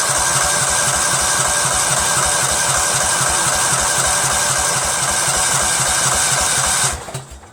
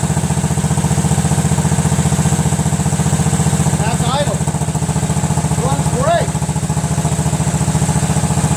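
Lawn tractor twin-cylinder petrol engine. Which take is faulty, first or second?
first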